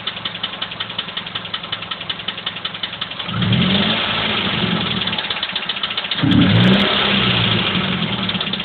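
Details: Mazda 3 idling: steady light ticking/clicking about four per second persisting through brief revs; cause suspected, not confirmed.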